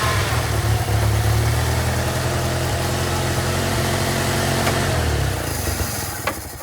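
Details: Old Toyota forklift engine, sat over 10 years, after its idle was turned down so it would go into gear; a smooth, steady low idle with an even beat that settles and fades off, sounding healthy.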